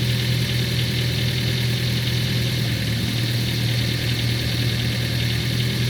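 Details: Ford Focus 3 at steady idle: distinct hard, dry clatter under the engine note, like a diesel on a cold start; knock appeared after the oil was changed at the TO-2 service, cause unknown.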